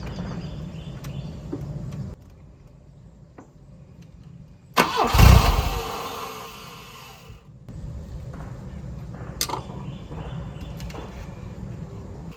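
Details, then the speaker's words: 1984 Volvo 244 GL pulled from the woods: over background hiss the starter turns, the engine catches briefly, then falls quiet once cranking stops; owner suspects starter grounding or bad wiring. "It's like it's not. Every time I let off the starter, it is not staying running."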